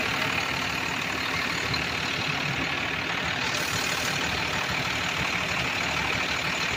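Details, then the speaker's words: Ford F700 fuel truck, intercooled 6BT Cummins diesel, after replacing the fuel pump solenoid. Steady diesel clatter with a hissy top end, no stumbling. Runs normally, though the throttle is hanging up slightly. "She's running, but the throttle is going a little bit lower. It's hanging up a little bit."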